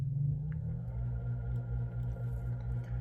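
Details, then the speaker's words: Early Hunter C17 antique ceiling fan motor before restoration, only a small amount of oil in the bearing (quieter when full of ISO 100 oil); smooth even hum, earlier rattling gone; normal running. "Um, when it's full of ISO 100 oil, it will be a little bit quieter than this, but you can see it's not too bad. All that rattling is kind of gone."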